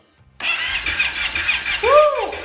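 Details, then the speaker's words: Kawasaki KFV 750 (Brute Force) ATV after adjusting tight exhaust valves, compression gauge fitted: starter spins the engine briskly with even, firm compression pulses and a short squeal; compression now healthy. "Значить підрегулювали ми наші клапана як я і казав з-за того що були зажаті Нижні на випуск Я думаю що через то вилітала вся наша компресія"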